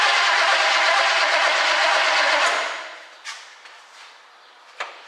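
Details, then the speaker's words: 1967 Chevy Camaro project, no-start: cranked from under the hood with remote starter button wired to starter S terminal and battery positive; starter spins engine at steady even rhythm for a couple of seconds, engine turns freely, not seized. "Okay, it turns over. I'm going to turn the key on and see if we have spark."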